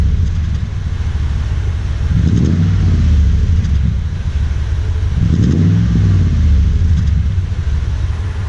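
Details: Toyota Tundra with new TRD dual exhaust, heard from behind at the tailpipes: deep, even rumble swelling smoothly on two quick revs and settling back; healthy exhaust note.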